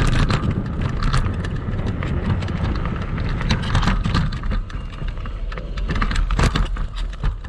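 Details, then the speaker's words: Kugoo Max Speed electric scooter ridden off-road on sand, with the camera mounted on the front: irregular clunks, rattling and squeaks over bumps. The shock and front fork knock, and the spring mechanism squeaks badly. "и по итогу что мы имеем я думаю вы увидели что шумов достаточное количество там практически наверное весь видеоролик слышно как все громыхает дребезжит"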